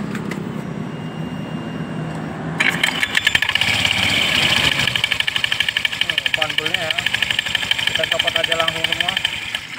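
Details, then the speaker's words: Honda Vario 125 scooter with coarse noise from the CVT, case opened: after starting, coarse rattling whirr with fast uneven clatter over idle; the drive belt is very slack and the roller housing worn tight, loose CVT drive belt. "Fanbelnya kok sangat kendor banget. Dan rumah rulernya juga ini udah kencang banget."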